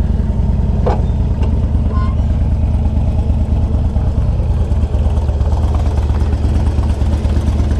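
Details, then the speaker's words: 2003 Harley-Davidson Electra Glide Ultra Classic, stopped at idle: a loose, light tinny buzz over the lumpy V-twin idle from the front exhaust cover, which is held on by small hose clamps inside and moves on its bracket. "it's that right there it's that exhaust bracket right that cover right there see right there see how it moves"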